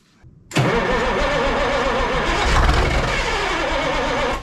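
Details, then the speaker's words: Ford cabover 14 L Big Cam Cummins diesel after 10+ years sitting, kept alive on starting fluid while working throttle; catches after brief crank, then wavering, uneven stumbling and hunting. "let me just try to keep it alive with some starting fluid"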